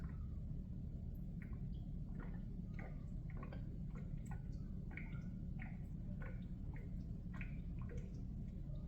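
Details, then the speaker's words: Vsport intercooler coolant circuit after a leak repair, pressing the bleed/strainer valve before filling with the pump off: quiet irregular gurgles and small pops as bubbles escape; air trapped, so the circuit is probably empty or nearly so. "so what you want to do is so there are bubbles coming out of it as you can hear"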